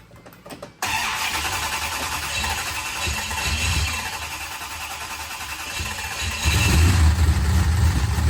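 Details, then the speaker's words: 1968 Dodge Charger with a used big block 440: it starts and settles into a fast, light ticking chatter that grows with revs. Some lifters sound louder than others; the actual cam is unknown. Lifter chatter. "I think they're louder than 10 and 12. Should be. So I would try to find out what kind of cam is really in it."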